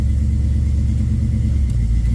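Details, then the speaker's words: 1967 Camaro small-block V8 with FiTech injection, after regapping unevenly gapped spark plugs to 0.045 in to cure a throttle stumble: a deep, even part-throttle rumble under load with no stumble or misfire, so the problem is fixed. "Oh, that's so much better. By George, I think it's fixed. a spark plug. Of all things, it was a spark plug."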